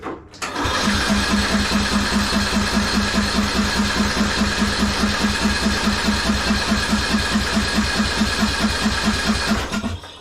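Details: 1998 MTD Yard Machines 15.5hp lawn tractor, new battery, freed starter, carb spray tried, plug wet with fuel: steady cranking about two and a half strokes a second for nine seconds, never firing; no spark, failed ignition coil.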